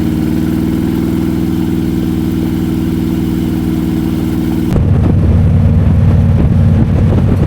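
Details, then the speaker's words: Harley 98-inch twin cam V-twin, built near the upper end of its output: steady lumpy idle with a light, even top-end tick, more apparent on camera than when riding; normal valvetrain noise. "You can you can hear the top end noise. You hear it a little bit when you're riding, but it's definitely apparent on the camera."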